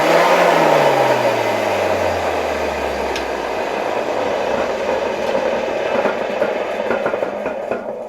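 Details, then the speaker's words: Zelmer 268.6 vacuum cleaner from 1989, type 300 motor running: loud rough gritty roar with knocking, worn motor bearings with rotor play needing replacement. "Nawet słychać tutaj, czuć luzy i słychać te łożyska w silniku."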